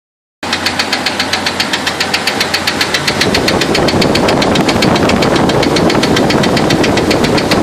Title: 2000 Wrangler Engine Knocking